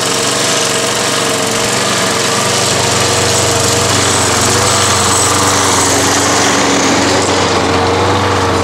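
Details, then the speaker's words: Toro Recycler lawn mower, small engine running fast and steady with a light, uneven rattle on top; primer bulb needs looking at and recoil starter is noisy, likely needing straightening. "je dirais qu'il a la poire d'amorçage à revoir et le lanceur un peu qui fait du bruit"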